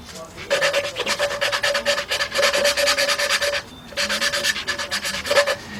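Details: Valve lapping on a 2003 Jeep Liberty Sport 3.7 cylinder head during a partial engine rebuild: rhythmic gritty rasping in bursts, about three strokes a second, as the valve is spun on its seat with an old lapping tool; still grinding, not yet seated.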